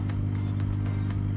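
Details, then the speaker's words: MSpa Alpine Delight inflatable hot tub in a basement, filter and heater running with target set to 40 °C; steady low electrical hum of the filter pump running normally. "You can hear it: it's humming here. The filter is running and the heating is running too."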